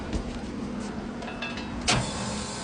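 Fan motor catches right away and settles into a steady, even hum with just one brief clunk; the start sounds normal.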